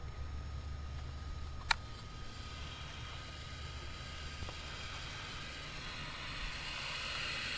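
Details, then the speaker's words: Ford F250, cylinder 10 with a rubber stopper jammed in the spark plug hole and shop air applied, valves opened: after a click, a steady airy hiss with a thin whistle as air rushes past the open intake valve into the intake manifold. "you should be able to hear that that's air rushing into the cylinder and out through let's see so it should have been the bottom of the intake so probably through the intake manifold so air is rushing into the cylinder up to the valves into the intake manifold"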